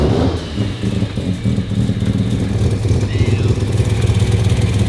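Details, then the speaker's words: Mazda RX7 rotary, first start after sitting abandoned, just brought back to running: deep, even burble climbing cleanly with each throttle blip and settling back without misses; smooth, easy start, healthy running. "It was so smooth and easy. I'm underwhelmed. I'm not even that. I'm not. That's better. It looks and sounds so good."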